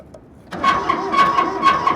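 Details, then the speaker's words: Kubota B7100 diesel tractor with loader, sat about 10 years in collapsed barn, first start after glow plug preheat: uneven chugging with rough rasping scrape each stroke over thin whine, from exhaust; owner unsure, suspects clogged exhaust. "Oh, it sounds like it's like a cylinder scraping or something. It's coming out of the exhaust, so what does that mean?"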